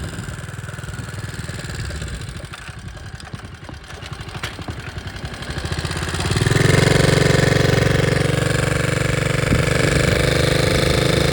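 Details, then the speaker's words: 1961 Honda 50 Super Cub, 50cc single, rebuilt from engine in pieces in a crate, running with no battery and electrical unfinished; even putter at idle then picks up smoothly on throttle with a steady beat, sounding pretty good. "so you can see that it's back in the land of the living and sounds pretty good"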